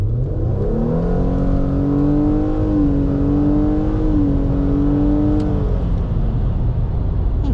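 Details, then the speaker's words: 2017 Nissan Altima, automatic, during a roll-on from about 25: smooth, even engine note climbing steadily with no misses or knocks. Pulls cleanly, healthy acceleration. "That boogie's pretty good. No, thing runs really, really good."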